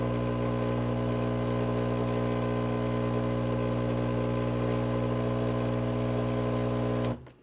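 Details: Breville Barista Pro pulling an espresso shot of about 40 g in 35 seconds with preinfusion set: steady, even buzzing drone held for seven seconds then a clean cut-off; normal pump operation.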